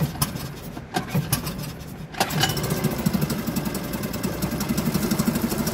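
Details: Suzuki DF2.5 2.5 HP outboard that sat a long time and would not start, run after opening the fuel valve and tank vent: catches after a couple of stumbling pops, then a steady, even fast beat with no misses; normal running.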